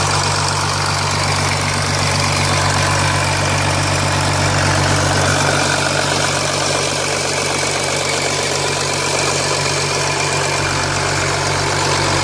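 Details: 2007 Jeep Grand Cherokee 3.0 CRD diesel started from cold at idle, oil pressure light on at idle but off when revved, oil level correct: steady metallic rattle about four a second; owner suspects timing chain, not localised at front.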